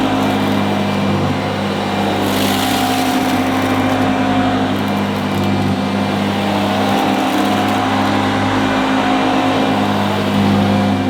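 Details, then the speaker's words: 1977 Hoover Junior Deluxe upright vacuum: steady, even motor drone with a smooth fan rush, no rattles or speed dips; owner calls it the quietest Junior Deluxe/Starlight he's used; normal running. "but the motor that sounds absolutely fantastic it's the quietest Junior Deluxe slash Starlight that I've ever used"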